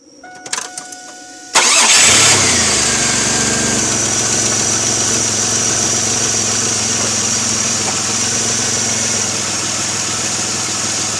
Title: 2002 3.8 Firebird Vacuum Leak